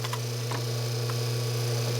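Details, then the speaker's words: Hydro-Spa Princess hot tub, Hydro-Quip CS800-A1 controller: loud steady hum with sharp clicks as relay drops out and pulls in on its own; high limit tripped, bad capacitor on pump suspected, later bad high limit found; relay cycling. "but you can hear that it it goes off and on on its own pretty good"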